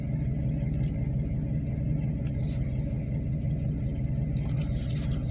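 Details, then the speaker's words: Car after final exhaust repair with V-band clamps, tweaked tailpipe and gutted clogged catalytic converter, heard from inside: steady low rumble, smooth even idle with no knocks, rattles or exhaust leaks. "idle smooth sounds good"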